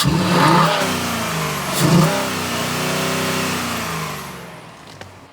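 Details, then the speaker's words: 2020 Ford Explorer Police Interceptor, 3.3 L engine, 76,738 miles, 7,229 engine hours, collision-damaged front passenger corner, overheated after 20–30 minutes of running: two quick clean rev blips settling back smoothly, no knocks or rattles; healthy rev response. "Let me rev it up so you can hear it. The engine sounds good."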